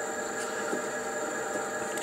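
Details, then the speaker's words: E-bike geared hub motor running after repairing its controller's shorted MOSFETs; quiet, even whir with steady faint hum, no clicks, grinding or stutter; normal hub motor running. "включаем давай вот подвези редукторный мотор-колесо нормально работает"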